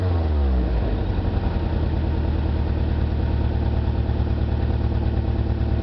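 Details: 20v engine at idle with a low, uneven, stumbling beat of roughly three pulses a second. One cylinder is dropping out, a misfire.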